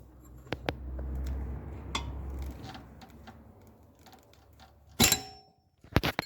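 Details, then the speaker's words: Audi A4 suspension ball joint rocked by hand with the arm in place; sharp metallic clacks in short bursts. Large play is suspected as the cause of the suspension knock, and the arms are being replaced. "Ну, я думаю, люфтом большой, на самом деле, потому что клацает, клацает крепко."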